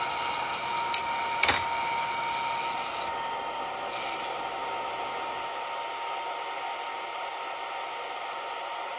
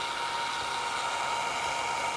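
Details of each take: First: Longer Ray5 20W laser module: steady soft airy hiss from the small cooling fan with a custom printed duct, plus a faint thin tone and two brief clicks; some rattle because the fan isn't bolted down. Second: Longer Ray5 20W laser module cooling fan fitted with a custom printed duct for an air filter: steady high whir, more muted than before, with a faint buzzy rattle because the fan is not bolted down.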